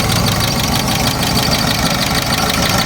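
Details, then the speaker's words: Ford Courier mini truck at idle, ignition coil noted as leaking: an even, busy idle with a quick steady patter and no heavy knock or miss. Normal idle. "So just a cool little truck, you know. Let you give a listen to this here sewing machine."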